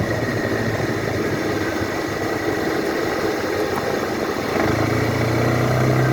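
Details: 2012 Suzuki Burgman scooter: light uneven tapping about four per second that thickens as revs rise under acceleration; cause unknown.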